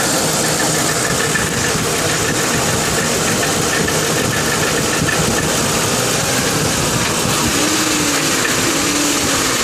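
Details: 2002 Lincoln Town Car at idle, knocking began a week ago, goes away when driving, no performance issues or overheating, oil fine; fast light knocking rattle over engine note: failed driver's side catalytic converter, replacement stopped it.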